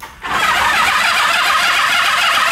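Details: Honda CB350F inline-four 350cc motorcycle (1972-74 model), sitting since the 1980s without plugs or carbs, previously seized: fast, even whirring spin on the starter with no firing to circulate oil; engine now turns freely; cranking on starter.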